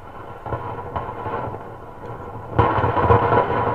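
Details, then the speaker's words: Goblin Time Spot valve radio after a capacitor replacement, running at full power before alignment. Hissy static with irregular crackling bursts that swell midway; mica noise is suspected but the faulty part is not confirmed. "Oh a bit of mica noise there or something It's working."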